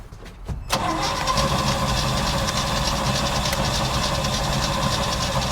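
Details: 1955 Chevy dump-bed truck, sat 23 years, cranked while bottle-fed fuel, old tank fuel foul: a few clicks then steady starter churning near 200 rpm that never catches; suspected crank-no-start with no spark, unconfirmed; oil pressure gauge rising.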